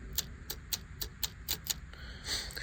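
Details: 1975 White 2-150 tractor, fuel shut-off solenoid fed by a single temporary power wire, earthed to body: crisp clicks about four a second then a short buzz; solenoid pulling in, working.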